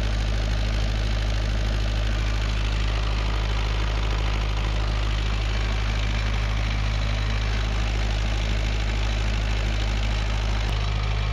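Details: Perkins naturally aspirated diesel 20 kVA generator set with Leroy Somer alternator, bi-fuel (diesel plus recycled vegetable oil), during servicing. Deep, even thrum at steady speed with a regular firing beat and no misses or knocks: normal running.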